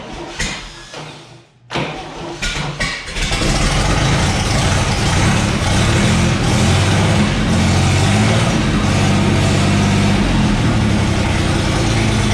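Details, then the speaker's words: 1962 GMC 2-ton truck 305 V6 on a marine fuel tank, weak starter, dried accelerator pump: cranks, catches after about two seconds, then runs a fast, slightly uneven beat around four pulses a second; vacuum leak to fix, carburetor float also appeared to stick. "so oh yeah we should probably fix that vacuum leak huh that didn't go so bad"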